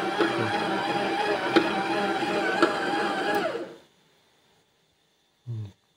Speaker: Сначала маленькое потрескивание было, а сейчас он щёлк-щёлк-щёлк начал делать.